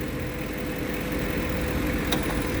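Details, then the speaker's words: 2004 Ford E250 van at idle, A/C low pressure switch unplugged and jumped: single sharp click as compressor clutch pulls in and compressor starts turning; normal clutch engagement. "And you hear it click. So we just jumped the compressor to make it cut on. Show you that it is turning. And voila, the clutch is running."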